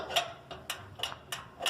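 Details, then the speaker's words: New lid switch on an old Kenmore top-load washer: crisp, light clicks as the actuator rod is pushed through, and each click turns the machine on; switch working normally. "When you push through with something, it clicks, and that turns the machine on."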